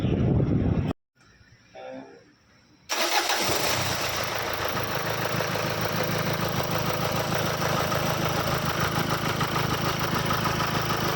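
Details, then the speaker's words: Renault Duster, 126,000 km, after new timing belt, timing bearing, alternator belt and rear wheel bearings: cranks briefly, catches cleanly and settles into steady even idle with no ticking, knocking or belt squeal; running normally. "Belt નવો થઈ ગયો છે timing bearing બી નવી નાખી અને alternator built બી આપણે નવો નાખી દીધો છે તો ગાડી એકદમ પરફેક્ટ થઈ ગઈ છે"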